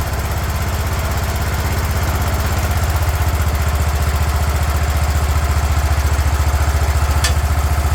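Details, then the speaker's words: 36-year-old Toro Wheel Horse 416-8 garden tractor after fixing a leaking fuel line: single-cylinder thumps at a steady, even beat with no misses or knocks; sounds pretty good, normal running. "I think we got it. There we go, sounds pretty good. So there you go, we got a running and working wheel horse"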